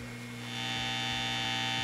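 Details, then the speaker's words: 1942 Gibson Mastertone Special guitar amp on first power-up with a new power transformer temporarily wired with long leads, volume fully up: constant low buzzing hum with a bright edge, a 120 Hz hum, not unexpected. "right we've got a little bit of a 120 Hertz hum [Music] got some noise that's not unusual not unexpected"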